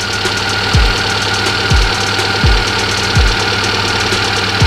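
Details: Fuel-injected car (tagged Hyundai), warm engine near 80°C: steady idle with a soft low thump about every one and a half seconds, nothing harsh; normal warm idle.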